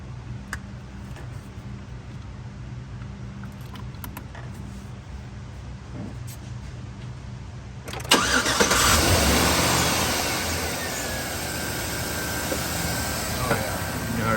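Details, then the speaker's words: 2013 Chevrolet Silverado 5.3L after replacing broken, dirty spark plug (had P0300 misfire, flashing engine light, P0521): steady even idle hum, zero misfires, smooth on all cylinders after repair. "the difference, feels smooth. Zero misfires. We'll take it for a test drive."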